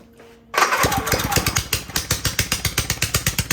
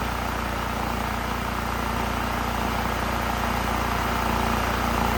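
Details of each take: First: Honda EU3000is inverter generator that smokes and makes no power, running with exhaust removed: loud, sharp open-exhaust pops about seven a second, slightly uneven, still smoking; wet spark plug shows it running very rich. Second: Honda EU3000is inverter generator that smoked and made no power from a sticking choke running rich; after the choke fix, smooth steady drone with an even pulse and no misses or knocks. Normal running.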